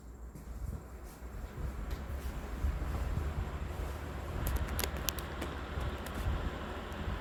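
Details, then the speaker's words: Vintage Emerson box fan, all original-looking including the capacitor, freshly cleaned with motor oiled, on low speed in exhaust mode: soft, steady low hum with even airflow and no rattles or scraping. Runs smoothly; normal running. "Oh yeah, very good runner. Leaves a nice breeze."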